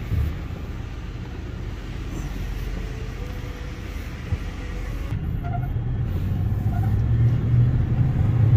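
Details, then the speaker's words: 1997 Ford F-250 HD 7.5L 4x4 while driving: low, steady rumble from underneath growing with road speed; mechanic suspects a front hub bearing/hub assembly or front differential pinion bearing, not confirmed. "yeah it sounds like a front i don't know if it's front differential or if that's like a hub bearing hub assembly here"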